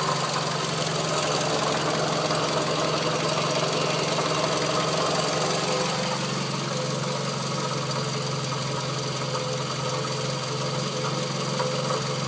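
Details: Scion tC at a steady idle with a loud, fairly even knocking clatter from the front of the engine, confirmed as a failing water pump; noise gone after replacement.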